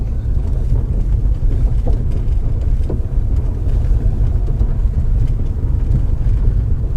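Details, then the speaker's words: 2005 Acura TL driving after replacing a destroyed engine mount that caused a suspected suspension noise: only smooth, low road rumble under load, no clunks or knocks; quiet drive, no abnormal noise. "No more noise."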